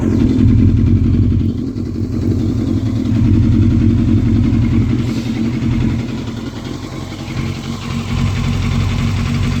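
Uneven, lumpy exhaust beat with stumbles as the revs rise and fall; the engine sounds like it is misfiring. Cause suspected, not confirmed.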